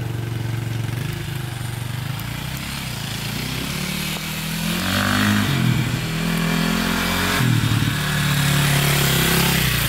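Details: 2002 KTM 400 EXC single-cylinder dirt bike, warmed up, revved riding around the yard; revs climb then sag and stumble, feels like hitting the rev limiter right away; engine bogging, cause unknown.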